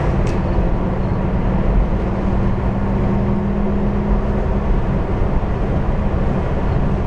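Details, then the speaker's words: VW bus on old highway after gear reduction box bearing repair (suspected debris from earlier transmission failure): steady even road rumble with no whine, clunk or grind; slight extra rumble in turns, drivetrain quiet and healthy. "let's go see how she does on the Old Highway nice and quiet now probably should have done it before nice and quiet you throw it into the turn you hear it Rumble a little bit more and you pre-load the bearings heing quiet now though"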